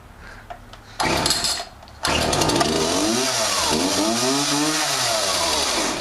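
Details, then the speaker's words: Craftsman DYT4000, cold start: a couple of pulls, then it catches at once and revs up and down crisply; starts cleanly from cold and runs healthy. "yeah freaking cold start all day"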